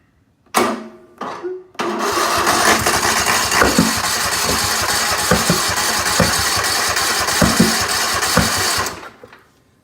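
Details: Craftsman 90th-anniversary riding mower, about two years old, on choke with a weak battery: the engine churns about three times a second with occasional loud muffler-like pops and won't fire; it ran days earlier; owner suspects the spark plugs.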